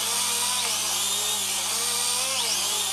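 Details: Syma X3 quadcopter in flight: high, even buzzing whine from the small motors, pitch drifting with throttle; smooth, healthy running.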